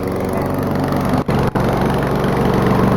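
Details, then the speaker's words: Old lawnmower needing starter fluid to keep running, heavy crankcase vent blow-by, air filter missing: loud ragged engine beat with sudden near-stalls; rough running, owner suspects worn rings, low compression, maybe bad valves. "Needed a bit of help from starter fluid to keep running, but now it runs badly. It has a ton of blow-by, and it's got terrible rings, terrible compression, maybe even bad valves."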